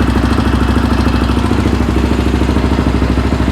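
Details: Yamaha Raptor 700R after engine rebuild, first start with FMF pipe: very loud, sharp exhaust beat about three pulses a second with ragged popping edge, rough untuned running and backfiring, shooting flames; programmer planned to clean it up.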